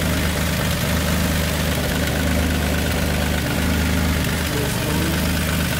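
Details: Nissan G35 (turbo) idling after a new starter and battery fusible link were fitted, starter having had high internal resistance: smooth, even V6 idle with a steady low hum, no misses, knocks or whine; running healthy.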